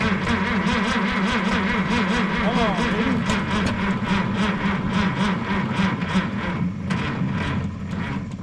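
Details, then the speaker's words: Minneapolis Moline G900 LP tractor that quit in the field, LP fuel heard flowing: steady cranking about three turns a second with uneven chuffs, never fires; crank no start, owner suspects no spark or bad coil. "that is not like this tractor to not startch okay well going have to do some more investigating"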